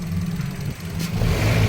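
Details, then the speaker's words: Mitsubishi Xpander, noisy when pulling away: engine revving with deep rough drone and shudder as revs rise, engine lifting and knocking; broken engine support mount. "diyan parang sira yung support pumapalo pero tingnan pa natin"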